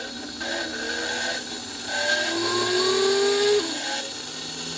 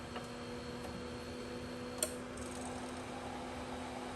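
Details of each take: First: Thermo Scientific Heraeus Fresco 21 refrigerated tabletop centrifuge, after fixing an E-29 error and refitting the capsule compartment, on a full-speed 1-minute test: uneven rising motor whine that settles to a steady pitch; rough at first, then stabilized. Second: Heraeus Fresco Thermo centrifuge after an E-29 error, fixed by forcibly yanking the stuck rotor free: at lowest speed it spins smoothly with a steady low hum, faint high whine and one click. Normal spin.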